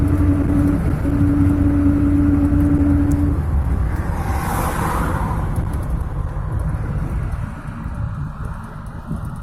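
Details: Car driving, bearing hum only in gear (3rd, 4th, 5th), mostly on throttle or engine braking, stops with clutch in or neutral, unchanged by swerving so hubs doubted, returns after 10-15 km: steady low drone over road rumble, then drops away; source unknown.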